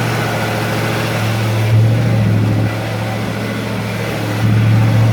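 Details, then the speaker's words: Freshly rebuilt Ford 302 V8 on its first start, with a weak battery and little ignition advance: a low idle with an uneven, stumbling beat dropping out now and then. A misfire at idle. "Misfire, I can hear it missing. Hang on, I'm running out of idle."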